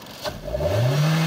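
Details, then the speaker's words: 2011 Hyundai Sonata VI with 2.0 L 16V G4KD engine, 88,722 km, compression 12.5 in all four cylinders, revved: note climbs cleanly from idle to a steady high hum with no misses, rattles or knocks; runs evenly. "двигатель работает ровно автомобилю 88 722"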